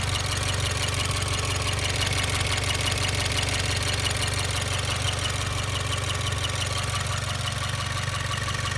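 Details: 2016 Subaru WRX, warm idle, clutch pedal up: fast, regular light chirp about three per second over engine hum, gone when clutch pressed an inch; greasing slave cylinder shaft boot as dealer suggested didn't fix it, cause unknown.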